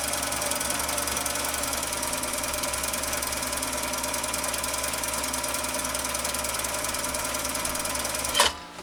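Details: Husqvarna Viking 6430 sewing machine, which previously only hummed, now running after internal cleaning: fast, even, steady mechanical whir with no hum, catching or knocking, then stops cleanly; normal running.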